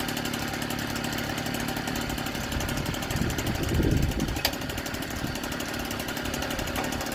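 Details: 1964 NSU Quickly S23 three-speed moped at first start after engine rebuild, on 32 ml two-stroke oil per litre of petrol; busy, crackly two-stroke buzz holds steady and even, briefly swelling near the middle; some smoke expected; running smoothly.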